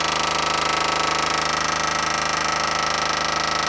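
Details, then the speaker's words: 1979 Jeep Cherokee, parked 21 years, ignition switched on, engine off: a fast, steady buzzing rattle from mid-vehicle, traced to a square-box electric fuel pump chattering; a battery-to-body ground strap is planned to try to stop the rattle. "That thing is making the noise, and I think it's the fuel pump. I think it's an electric fuel pump."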